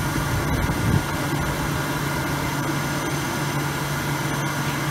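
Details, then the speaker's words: Grant 50/90 oil boiler started after fitting a new 0.60 60° jet: a steady low hum with an even rushing fan note and no pulsing or rumble, the pump already drawing oil and heat blowing out; normal burner start-up. "can hear the fan going. The pump has pulled something up into there already."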